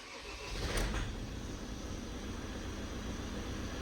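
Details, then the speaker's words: Ford Transit Custom after the belt, tensioner and idler pulleys were replaced: smooth, even idle hum after start-up; the earlier rattling noise from the belt side is gone, much quieter. "you can't hear that you can't hear that um rattling noise anymore so yeah much much better"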